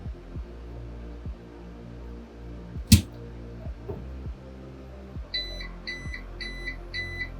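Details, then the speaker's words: APC UPS unplugged from mains: a sharp click, then four quick high on-battery alarm beeps; a Raspberry Pi running NUT monitors it and should shut down at critical battery level. "And so we've disconnected this one right here. You hear it beeping. So after some period of time, this device right here should shut down because it reached a critical level."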